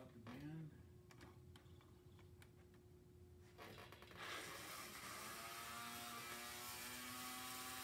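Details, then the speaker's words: Lionel 3927 track cleaning car motor, on the track after disassembly and cleaning: a few clicks, then it spins up to a smooth, steady whir with even gear hum. Runs freely and works after the repair. "so it does work it's it rotates very very well now everything runs good"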